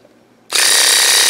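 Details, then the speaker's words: WaterPik WP-360 after lubricating the pump plunger. It switches on to a fast, steady, high buzz with no grind or stumble, running noticeably faster than the unit that was stalling and weak on pressure. "this one runs better because I already lubricated it you can hear the difference and it runs much faster"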